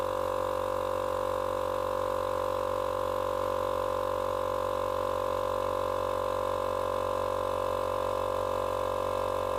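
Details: Small portable tyre compressor, which had stopped and run very hot from a seized bearing, now running after bearing replacement on its first cycles: steady, even mid-pitch motor hum with a faint regular pulse, no grinding or knocking; normal running.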